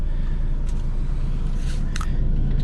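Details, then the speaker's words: Maruti Alto with 98,100 km, heard from inside the cabin: low even hum with no rattle or shake coming through, engine now quiet and silent; normal idle. "यह देखिए friends मिट्ठू silent हमारा engine हो गया है कर दो कि अ यह बिल्कुल साइलेंट सिर्फ एक बहुत ही वापिस आ रही है"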